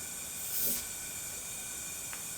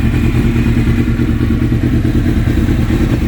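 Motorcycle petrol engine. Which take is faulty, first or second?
first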